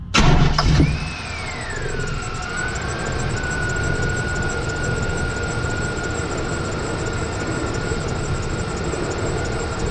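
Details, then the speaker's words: K1500 truck just after a cold start with an old serpentine belt soaked in fluid from the previous engine: loud steady squeal sliding down in pitch over idle, belt slipping, before fitting a new Continental Elite belt. "it's kind of getting bad as time goes on but the chirp and the squeaking have not gone away"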